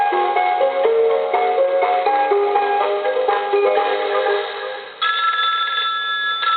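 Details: Coca-Cola animated polar bear telephone, initial checkout before repair: clear electronic melody ringing note by note, then a brighter sustained chime; the ringer sounds strong and plays properly, though the phone has no dial tone.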